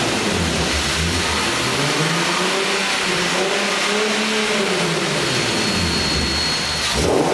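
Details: Nissan 370Z with Takeda short ram intake, revving up and down: faint thin whistle above the intake roar, weird intake noise whose source is not identified; unusual intake noise.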